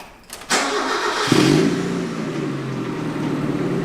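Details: Abandoned Mazda Miata rebuild, first start after plugging in O2 sensor that was leaking exhaust from its hole: brief cranking, catches cleanly in about a second, settles to steady even note with no puffing or ticking.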